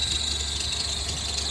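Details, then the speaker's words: BMW X5 E70 just after water pump replacement, cold idle: thin steady high serpentine belt squeal over soft idle, belt slipping as too long for the smaller pump pulley; expected to go away once warm and thermostat opens; coolant slightly low. "this sound will go away once it warms up"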